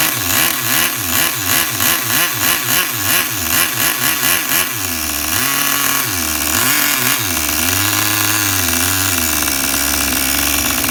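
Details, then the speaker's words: Tamiya TGS-R nitro RC car engine on factory carb settings, started on one pull: tiny buzzy engine loping and surging at a slow, uneven idle before settling; the idle speed is set too low. "Oh, I got the idle actually a little bit too low, people, because the last time I tuned this up, I had it tuned up pretty good when I was bench tuning this on the bench."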